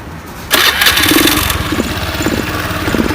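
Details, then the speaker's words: Honda Beat FI scooter after start, idling unevenly and stumbling at low rpm and dying when ridden; main cause a weak, age-worn fuel pump needing replacement, plus a fault in the ignition-switch wiring. "motornya berbet di RPM rendah ya. Jadi apa permasalahannya?"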